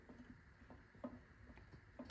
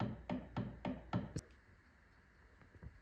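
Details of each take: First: Mazdaspeed 2-way limited-slip differential for FC RX7, assembled with backlash set within OEM tolerance, spun by hand before sealing: quiet, even whir with an occasional soft click of gear lash, no grinding; normal. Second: Mazdaspeed 2-way limited-slip differential for an FC RX-7, before backlash was set within OEM tolerance: four sharp wooden knocks about a quarter second apart as it is spun; excessive end play.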